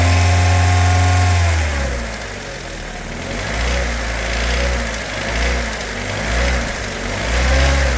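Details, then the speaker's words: Honda K24 four-cylinder engine in a Civic EK, about 315,000 km, running with some connectors unplugged: rough idle then revs with an irregular knock/tick riding the engine note; owner unsure whether rod bearings or valves. "Je sais pas si c'est les berings de rod ou ben les valves là"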